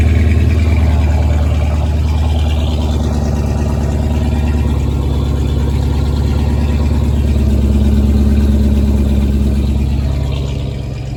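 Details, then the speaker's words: 2007 Dodge Charger 5.7 V8 after newly welded-in exhaust: deep, steady, low even burble with no rasp or drone, sounding better and quieter than before: normal exhaust note. "What matters is that it's quieter. And these look good, man."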